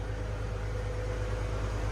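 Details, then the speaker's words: 1970 Ford F100 straight six after the MAP sensor was added: a steady, even low rumble at idle with no misses, knocks or hunting. The idle is a lot better and standing behind the truck you're not blasted with fumes. "So you'll notice the idle's a lot better. That seems about right."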